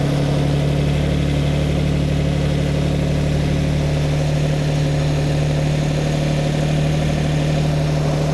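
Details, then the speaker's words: Lamborghini Miura V12, just started, before carburettor tuning: deep, lumpy idle with uneven pulse about one beat a second; carburettors out of balance, one admitting more air than another and mixture very rich. "all right and again it doesn't sound too bad but it's it's lumpy it's not happy so I'm going to go around each Inlet and"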